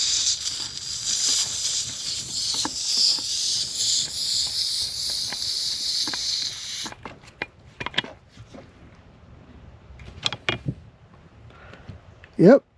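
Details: Johnson 25 hp outboard (25R71, 1971 or 1977) gearcase under air pressure test: steady high hiss for about seven seconds; air leaking where a screw was missing its O-ring, later fixed with new O-ring.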